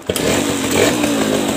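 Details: Suzuki RC two-stroke motorcycle, previously hard to start, after the ignition-switch wiring was rejoined between stator coil and CDI: catches at once and settles into a crisp, steady, even buzzing idle; normal idle.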